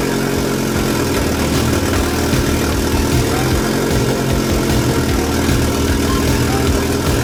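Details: Fiat Coupe 16V Turbo after restoration and engine reinstall, first start after swapped fuel rail feed and return lines were corrected; steady, even engine note with deep rumble, no misses or knocks, running smoothly.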